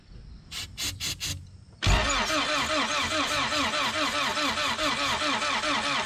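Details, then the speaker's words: Honda CRX with B18 engine, sitting about two years, with starting fluid sprayed into the throttle body: a few short starter bursts, then slow cranking at about two pulses a second that never fires until the battery dies; crank, no start. "so it didn't start we ended up killing off the battery"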